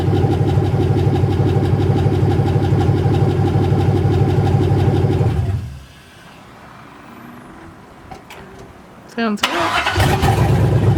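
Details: 1980 Chevy C20 with a swapped 4.8L LS V8, first fire-up after the swap: loud, deep, even burble from open manifolds runs steadily, then cuts out and restarts cleanly. It sounds healthy and started as it was supposed to.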